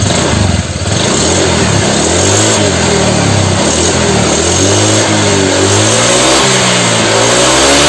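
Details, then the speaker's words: Motorcycle after piston replacement, with clutch plates also replaced: clean, even revs climbing and falling with throttle, with no ticking, knocks or rattles. Engine now smooth, normal revving. "nah oke Ini berarti untuk motornya udah halus ya gan"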